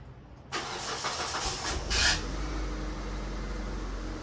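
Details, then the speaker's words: 2002 Mitsubishi Lancer, 246,999 miles, cold start after sitting in a garage for years: catches immediately with a short flare, then a smooth steady idle, slight belt grind, no knocking; healthy cold start. "just listen to how smooth that sounds no weird noises she's got a little belt grind but for the most part it sounds healthy no knocking of any sorts"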